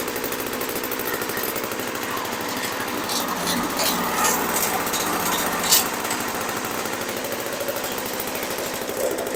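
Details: 1980s MTD Snowflite two-stroke snow blower, bought as a non-starter and primed with choke closed: loud, busy buzz running steadily at a fast pulse without stumbling; normal running.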